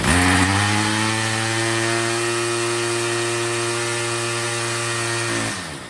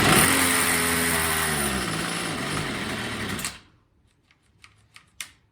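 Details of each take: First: Troy-Bilt TB22 EC weed eater after low-speed carburettor adjustment, with the high-speed screw set by ear for maximum rpm: a steady, high-pitched two-stroke scream at full throttle, running clean and strong. The air filter is still off. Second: Troy-Bilt TB22 EC two-stroke weed eater at first start after cleaning and re-oiling the air filter, primed and on half choke: buzzes unevenly with sagging, wavering pitch then dies after about three seconds; carburetor clearly out of tune.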